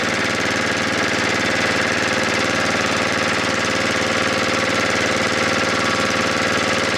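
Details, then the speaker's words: Snowblower engine (Tecumseh-type), warmed up a minute, high idle set via the T10 Torx screw on the throttle arm: fast, buzzy constant high idle. Screw turned in to check over-rev, then turned well down, and the idle dropped on its own. "okay so what I was doing there was I was turning the screw inward checking for over rev um and then letting it settle back and then I turned it down uh quite a ways like you here and the idle dropped all on its own"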